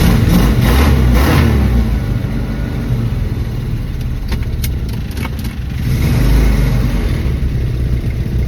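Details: 1974 Dodge Dart restarted hot just after refueling, having been driven minutes earlier, with the pedal pumped: long uneven cranking at about three and a half beats a second, brief catches and revs before it finally runs; hard hot start, cause unconfirmed.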